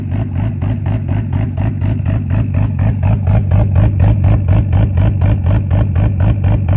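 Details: Nissan Skyline R33 GTS-t (RB25DET) running with a fast, even, buzzy pulsing drone that sounds like an RX-7 rotary instead of a smooth six; cause not yet known.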